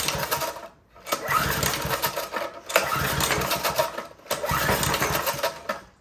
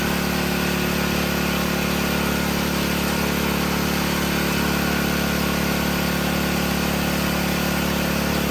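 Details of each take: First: Older Briggs & Stratton 5HP engine driving a generator, full choke: three pull-start cranking bursts spin over without catching, barely responds even to starting fluid; cranks but no start, suspected carburetor problem, possibly low compression. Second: Briggs & Stratton 5HP generator engine after adjustment and restart, previously would not start: smooth, even beat of about four per second with no hunting or surging; normal running.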